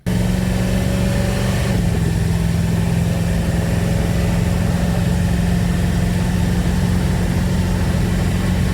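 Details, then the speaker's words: Truck test drive at 96°F, no air conditioning, after replacing failed Remflex collector gaskets with Lucas NG gaskets: steady low smooth drone, no puffing or ticking from header joints; exhaust sealed, no leak. "The truck did great. The gaskets seem like they've sealed up for now."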